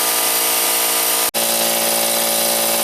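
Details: Harbor Freight compressor, first start after fitting two parallel run capacitors in place of 140MFD cap (previous electrolytic blew): even steady motor drone with one brief dropout, no labouring or stalling; starts and runs properly, caps cold after.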